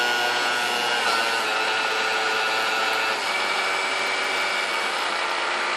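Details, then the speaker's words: Vintage Kenmore stand mixer, believed Westinghouse-made, first power-up before service: a thin, steady, high-pitched whine with a raspy screech over the motor hum, smoother at lower speeds, sticky, brushes smelled. Cause was bone-dry bushings, cured by oiling the wicks. "what's really whines up and once you gets going even you see when I went back these lower speeds it smoothes it out but this thing is kind of sticky"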